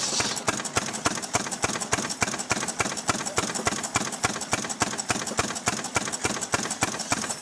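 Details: Restored 6 hp Fairbanks Morse Model Z single-cylinder stationary engine on kerosene, driving a buzzsaw cutting firewood: sharp, evenly spaced exhaust pops about three and a half a second, steady and unfaltering; normal, healthy running under load.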